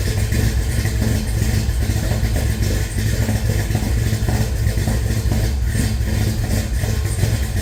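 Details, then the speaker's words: Henry J on first runs with a Sniper EFI, oil-pressure gauge not reading (bad sender connection), oiling checked at number five exhaust rocker: steady, smooth idle with no ticking or top-end clatter, so it has oil; normal idle. "Although, we have no clattering or anything, so we have oil in there."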